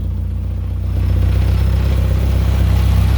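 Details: Nissan S14 240SX with a rebuilt SR20DET on its first start after the rebuild: steady low idle with an even pulse and no knocking or ticking, running cleanly.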